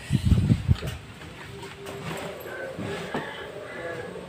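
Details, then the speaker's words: Honda Spacy scooter run without its cooling fan to test: after blips settles to a smooth, steady low idle with no rough clatter, confirming the fan caused the noise. "Ya coba kan sudah halus sudah enak didengarlahak aklakak kayak tadi Ya memang permasalahannya ada di sini"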